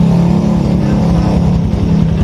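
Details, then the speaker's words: Early Yamaha Jupiter Z motorcycle engine idling with a deep, lumpy rumble from worn right and left crankshaft bearings, the left usually failing; crankshaft bearing rumble. "suaranya [Musik] itu dari bearing kruk as kanan dan kiri biasanya yang sering rusak yang kiri"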